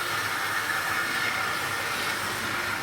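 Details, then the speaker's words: Tri-ang AL1 Class 81 model loco power bogie opened up toward higher speed; steady hissy roar from the small motor and knurled wheels, even and unbroken, the distinctive Tri-ang power bogie roar, normal. "knurled wheels making their very distinctive sort of roar."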